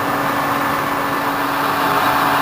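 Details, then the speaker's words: 1989 SHARP 24" x 120" geared-head engine lathe, spindle at 416 RPM: steady, even gear hum with a constant mid tone, no knocks or grinding; headstock running smoothly. "Running through some higher spindle speeds. This is 416."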